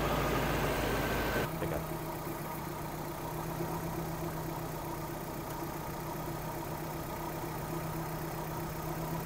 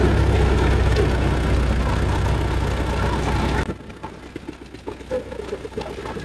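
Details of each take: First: Suzuki Vitara petrol engine with a recurring rough-running problem, vacuum line at the fuel pressure regulator removed and refitted: steady idle whose note drops and changes; gasoline leaks from the regulator's vacuum side, so its diaphragm is leaking. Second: Suzuki Vitara petrol engine with recurring problem, injector/fuel return issue suspected of low power, after repair: steady even low rumble with no knocks or misses before cutting off; running normally, to be broken in at idle.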